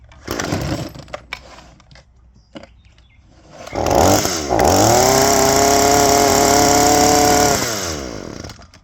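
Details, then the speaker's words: Two-stroke trimmer long buried in a garage, air filter refitted, previously sucking air: buzzy engine rises to a steady high rev, holds a few seconds, then sags away instead of settling; still won't idle, cause unconfirmed. "it was obviously sucking air it would rev up but it wouldn't idle so we're going to see what it does"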